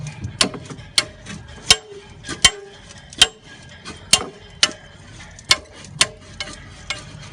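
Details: Citroen Relay van exhaust: sharp metallic knocks about every 0.7 seconds, only on harsh pull-off; appears to be the DPF/cat cracked at the bracket point, knocking against its mount.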